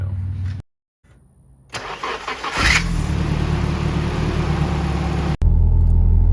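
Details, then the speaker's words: SR20-swapped Nissan S13: sharp screech during cranking that stops as soon as the engine catches into a steady idle; squeal persists even after fitting a new starter, owner suspects starter or possibly flywheel; starter squeal on cranking. "i replaced the starter it still squeals i'll uh i'll start it up right now so you can hear it but it's only right at start up and then it goes away immediately so it leads me to think it's just the starter"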